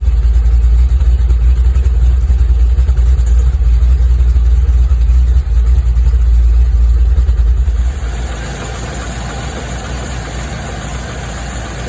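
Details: Land Rover Discovery 2 V8 at idle: deep, slightly uneven throb, rough idle from a vacuum leak at a hardened, cracked O-ring at the bottom of the rocker cover, which was replaced.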